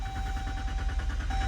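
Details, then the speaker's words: 2014 Dodge Durango 3.6L V6 after PCM replacement and ETC relearn, with P0335 crank sensor fault: steady starter cranking with regular chugging beat, long extended crank before firing, attributed to shorted crank sensor wiring. "Again, we got a long extended crank here, but the engine did start."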